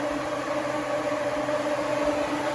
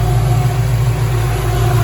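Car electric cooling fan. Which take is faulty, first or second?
second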